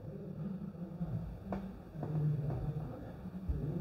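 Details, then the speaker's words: Maxtor/Seagate hard drive on PC3000 for a suspected firmware fault common to this drive family. It spins up fine, with a low, even hum building as the platters reach speed and no clicking or grinding, so the mechanics and electronics sound normal while the firmware fix runs. "okay i can hear it spinning up complete it and it's going through the procedure of fixing the drive"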